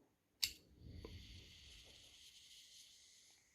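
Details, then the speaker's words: PS3 Slim fan fitted for a PS4 Pro, hand-spun with microphone held on the left: one click then a thin hissy scrape as it winds down; owner suspects part in constant contact rubbing at the greased, bearingless hub. "you can hear the feeder which has all the time contact and that's why this makes this noises okay"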